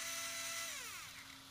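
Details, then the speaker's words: ARRMA 4S BLX brushless RC motor after bearing replacement with Tekno 5x13x4 bearings. Previously the rotor got very hot (guessed about 180°); now it is not hot. Clean high whine that glides down smoothly as it coasts, no grinding or rattle. Normal running. "yeah and the rotor is not stupid hot either"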